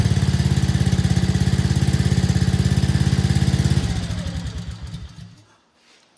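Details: 2024 Arctic Cat ZR 200 snowmobile after throttle cable slack readjusted: small engine idles with steady even thump for a few seconds, then switched off and coasts down; normal idle, stalling problem solved.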